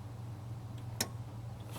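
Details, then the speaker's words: Truck with a self-resetting ignition kill switch, key on and engine off, camera close: a quiet hum, then one crisp click and another about a second later as the relay pulls in normally. "maybe I get the camera closer you can hear the relay click"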